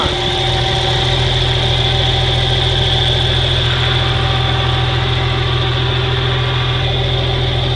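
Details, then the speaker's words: 1963 Farmall 706 gas tractor, just bought, runs after a loose gear was found inside the timing cover: started with a little throttle, even steady idle with a firm low drone and constant beat, no surging or hunting. Normal idle. "but Hank it runs good fire it up for you yeah"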